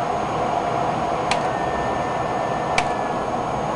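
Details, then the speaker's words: Fans of an HP Pavilion Media Center PC slowed down, run between 85% and 100% speed: smooth, even airy whir with a faint steady tone, no rattle or bearing growl, quiet at lower speed; normal fan operation at reduced speed. "listen to this other one wow really quiet now let's bump it up to 100% and let's drop it back down to 85 cuz that's as low as I'm going to go get it to"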